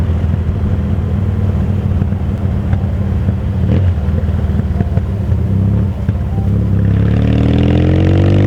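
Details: 1977 Yamaha XS650D with 81 Special engine, first ride in two to four months, summer heat: uneven crackle and pops as revs fall, then pulls away cleanly; exhaust popping on deceleration.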